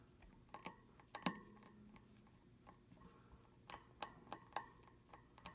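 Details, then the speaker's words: Juiced RCS fat e-bike, three months old, 9-speed Shimano cassette: loud click with every crank rotation plus grinding, from play in the bearings or freewheel hub; manufacturer later replaced the rear wheel, curing it. "I'm going to attempt to show you what's causing a clicking sound and my and my cassette yeah it's a weird grinding sound"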